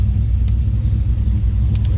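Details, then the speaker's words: 1968 Plymouth Barracuda, 440 V8, automatic, Borla exhaust, idling (in-cabin): deep even low rumble with steady beat, no knocks or misses; engine sounds good. "That 440 sounds good with that Borla exhaust."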